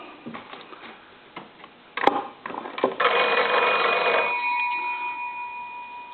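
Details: Old wood wall crank telephone, likely Kellogg, after repair, rung via line analyzer: a few light clicks then bright metallic bell rings about a second and fades; ringer bell working normally.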